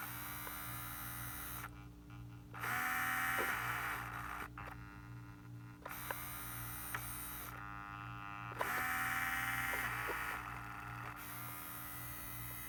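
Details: Steering servo on a vintage 1978 Shinsei Fire Fox (Lamborghini Cheetah) RC car, revived after long dormancy: a faint steady buzz with short whirring bursts as it moves, holding just off centre. This holding hum is normal.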